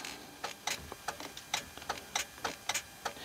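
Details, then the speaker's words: Renault 110-150 Midlum 4x4 truck: sharp irregular clicks, roughly a hundred a minute, as the switch connections are touched; a relay chattering because the switch connection overheated. Relay chatter from an overheated switch connection. "Je vois c'est un peu lourd, mais on voit bien que en plus il y a un relais. On entend quand on touche les connexions de l'interrupteur, on entend claquer."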